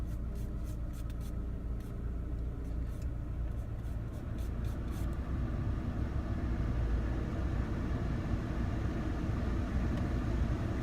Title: R56 Mini Cooper rough idle problem